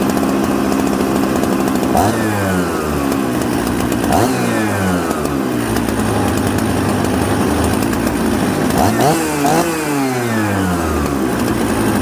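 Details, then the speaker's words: Mixmaster chainsaw built from Husqvarna 266 and Jonsered 630 Super parts: smoky, stumbles and burbles coming off idle before picking up revs; rich low-speed carburettor mixture, fixed by turning the low jet in. "so you hear how smoky it had a little bit of a bumble off idle so what i did was i turned the low jet in"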